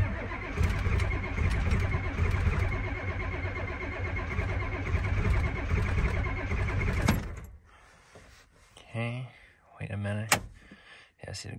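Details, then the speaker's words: Ford F250 7.3 IDI diesel, cold start: cranks steadily about seven seconds and never catches; glow plugs not working, fault in the glow plug circuit suspected at a ground, relay or switch, with a loose connection found. "plug isn't working little bugs aren't working so we got an issue somewhere here ground or it's not trying to fire but we got no gold plugs so we got an issue somewhere here"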